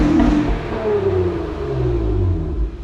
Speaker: doesn't raspy at all yeah it sounds pretty good